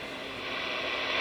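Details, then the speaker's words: Radio repaired by replacing a faulty transformer, working on AM and sideband, signal generator off: steady, even hiss with a faint buzz underneath from bench LED lights picked up when the chassis is touched, no crackle or dropouts; normal background noise. "i think you can hear that those led lights i have above my bench here right there those suckers generate some noise so when i touch the chassis of the radio it goes into the radio"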